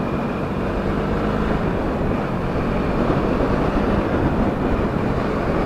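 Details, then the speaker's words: Yamaha XS650 twin with undrilled silencer, not ridden in a long time: soft muffled burble with steady low thump, no rattles; so quiet it sounds like a Honda C50, owner plans drilling silencer holes for more tone. "You can't even hear it now. I'm going to have to drill some holes in the exhaust in the in the back of the silencer to get that nice tone out of it. But this to me sounds like a a Honda C50 now."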